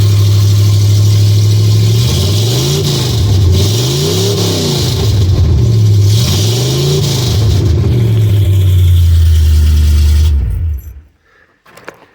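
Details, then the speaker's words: Truck with long tube headers and no exhaust system fitted behind them, running off a boat fuel tank: deep, loud rumble swelling and falling with each throttle blip, then cut off; loud exhaust from open headers. "She's loud. She's loud and proud. But she's got long tube headers on her. Whoever was working on this truck before me put those on and never finished putting the exhaust system on."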